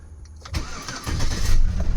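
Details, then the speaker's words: Chevy Avalanche with a history of extended (hard) starts, after a trick on the purge valve: short crank, then it catches within about half a second and settles into a steady idle, a clean prompt start. "She fired right up. Then it's been, like I said, I've been having extended starts, also known as hard starts, where the engine just turns over and won't crank up"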